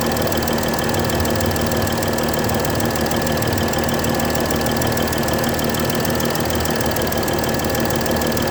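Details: Mercedes S-Class 320 at idle: sharp, rapid ticking puff keeping pace with engine speed. A bad injector nozzle gasket.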